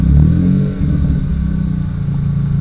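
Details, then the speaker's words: Mazda Miata running again after a roughly $2 fix with a larger, heavy battery fitted: crisp throttle blips rise and settle back to a smooth, steady idle with no knocks or rattles; normal revving. "come on give me some revs I just that sounds so good oh I miss this car so much"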